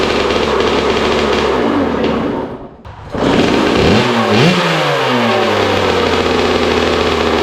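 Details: Rebuilt Kawasaki KX65 two-stroke dirt bike, put together from a basket of parts, running without its chain after a missed carburetor jet was cleaned to cure runaway revs; steady buzz, brief cut near three seconds, then crisp blips rising and settling cleanly; healthy running.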